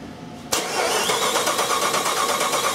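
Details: Jeep 4.7 cranks at an even rhythm but never fires; no cam signal on the scan data, crank signal present, cam and crank signals measured at the computer; no start from a faulty cam sensor.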